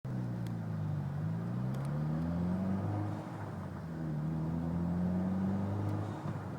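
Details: Mitsubishi Evo X driving with a low whine from the front end, rising and falling with road speed. Whines only under load, loudest on light load around 45 mph; transmission or transfer case suspected, unconfirmed.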